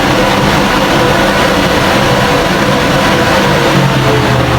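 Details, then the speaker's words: Car engine test after exhaust repair, with the exhaust cleaned and all fittings tightened: a steady, even roar with no rattles, pops or leaks. It is noticeably quieter, and the sound is judged normal. "Normal na siguro yung tunog na ganun, kaya tutunog at tutunog talaga yung mga master."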